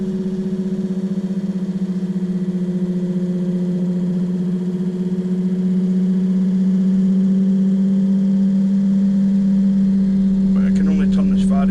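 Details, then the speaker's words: Excursion/Bison 24V 86 lb thrust trolling motor after replacing a melted brush holder, new seals: clean, steady hum with no scraping, pitch rising smoothly as the speed setting increases and falling back at centre. Normal running. "So hopefully you can hear the motor. Listen. It's speeding up. So we'll pass back to centre again, it'll slow down."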